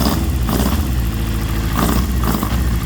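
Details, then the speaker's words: Suzuki GSX-R750 K7 laid-up bike, first start with two fuel leaks and codes C49 and C28 showing: low engine note stumbling and surging unevenly; definitely hesitant, cause not pinned down, shut off quickly. "Definitely hesitant."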